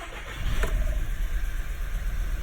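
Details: 2011 VW Tiguan 2.0 L catches and settles into a low, slightly uneven rumble; cylinder misfire codes P0300–P0304 that moved cylinders when coils were swapped, pointing to faulty ignition coils, later replaced with spark plugs.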